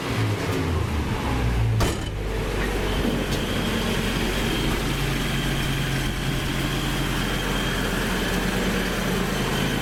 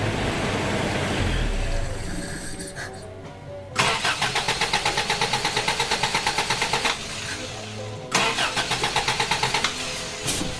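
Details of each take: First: Toyota Hilux with points-replacement ignition, coil resistor bypassed: steady low rumble, even beat, no knocks or misses, idling smoothly on its own; healthy. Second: Toyota Hilux with electronic ignition in place of points, which ran and then wouldn't restart after shutoff: the starter cranks with a rapid, even chug about three per second but it never fires; the owner suspects lost keyed 12-volt feed to the ignition coil.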